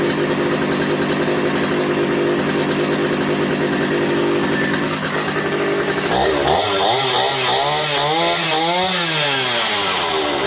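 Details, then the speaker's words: 50-year-old Stihl 056 AV two-stroke chainsaw, 20-plus-inch bar, restored after long disuse, started with brake cleaner: steady buzz with several clean throttle swells, no cutting out, a little smoky; running fine, tune-up planned. "there you have it so you can see that I just encourage it with a that brake cleaner um but it wasn't cutting out it was running fine little Smokey now which is good"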